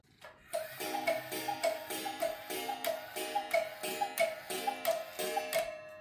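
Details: Restored Hansel & Gretel Black Forest cuckoo clock after final assembly with bellows installed, hands set to 7, playing a clear evenly paced tinkling tune repeating about every half second, notes steady and in time; chiming properly.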